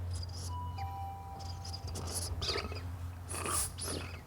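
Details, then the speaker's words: Air fork with re-greased tight X-ring air seal, pushed through its travel: thin short squeaks and a drawn-out chirp; the tight air seal is dragging even with grease. "oh there so even with the grease you can hear or it's not moving that well"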